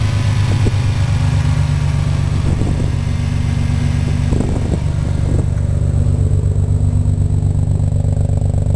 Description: ロータリーエンジンのエンジンブロー